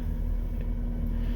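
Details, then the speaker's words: 2010 Volvo XC60 cold start at minus 12 °C after throttle body cleaning, which cleared reduced engine performance (P050B, P2118): low steady rumble with no stumble or hunting, rpm level; fault fixed. "without any issues the RPMs are steady it's working as it's supposed to be"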